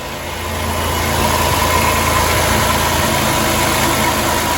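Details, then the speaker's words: 2006 Dodge Grand Caravan petrol V6 that rattled at idle and on deceleration, after the alternator decoupling pulley and belt drive repair: it now idles smoothly and quietly, with no rattle or chatter from the belt drive. "Let's go start it and see what it sounds like. Ooh, sounds way more quiet."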